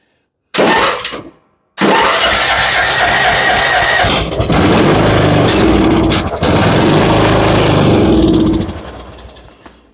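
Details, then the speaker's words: Yard Machines riding mower, PowerMore engine, jump-started after dead battery: catches and dies within a second, refires and runs about seven seconds, then winds down and stops; runs and dies. "It runs, but it runs and dies."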